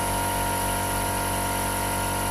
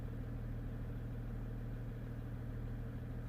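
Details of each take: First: 2015 Jeep Grand Cherokee Overland Quadra-Lift air suspension after repair, with codes C156E and C15D9 earlier: smooth, steady compressor hum at constant pitch, no knocking or straining, lifting the vehicle normally. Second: 2015 Jeep Grand Cherokee Overland Quadra-Lift air suspension, compressor already replaced, faults C156E and C15D9: steady low electric compressor hum with no change in ride height; system air mass too low.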